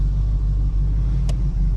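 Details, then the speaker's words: 1986 Oldsmobile Cutlass 442 V8 with eBay-rebuilt Quadrajet carburetor, after cold start having sat a couple of weeks: deep, steady, smooth rumble, no stumble or popping, sounds more aggressive than with old carb; normal running. "That was a cold start. Hadn't run in weeks, a couple of weeks at least. Completely different. Sounds a little more aggressive."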